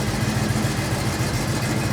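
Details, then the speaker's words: C10 truck "Crusty" V8 with a newly built custom exhaust, no gaskets and only a couple of welds per joint, so leaks were expected. Deep, even burble with a steady low pulse and no rattles or leaks. Normal exhaust note. "Look at that. I like the way it sounds. Yeah. I like it."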